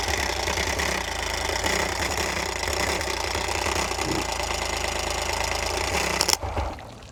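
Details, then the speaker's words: Dead outboard that fired on starting fluid, spark confirmed, fuel heard reaching carbs past the fuel pump; owner suspects another fuel pump issue; uneven popping and chuffing that never settles into idle, then cuts out; fails to start. "It could be another fuel pump issue, but I heard fuel going straight to the carbs. It went past the fuel pump. So, I mean, I don't know. Weird things are happening right now."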